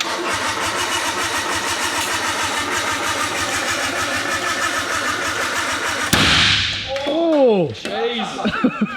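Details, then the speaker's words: Rebuilt RB25 in a Nissan R32 drift car with a flat battery: about six seconds of slow, labouring cranking that never catches; the engine earth strap was left disconnected, starving the starter. "yeah true that Corey left the freaking motor Earth off didn't he"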